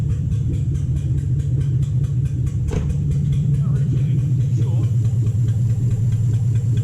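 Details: 2007 Toyota Hilux Vigo 4x4 with a swapped 3UZ Toyota V8 and manual gearbox, idling after a suspected lost coil on one side was fixed, right-hand bank now running properly: a deep, even idle pulsing about twice a second, both banks firing, no misfire.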